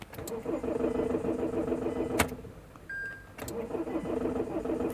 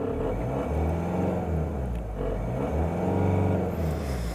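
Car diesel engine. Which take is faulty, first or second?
first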